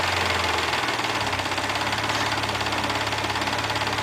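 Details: Mazda MX-3 engine warmed to normal operating temperature, idling: steady light metallic clatter, about three or four raps a second, over the engine hum; owner asks what the noise and problem are, cause undetermined.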